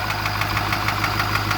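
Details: 2008 Ford F550 6.4 diesel V8 idling with a sharp, steady knock about six or seven times a second, seeming to come from the passenger side.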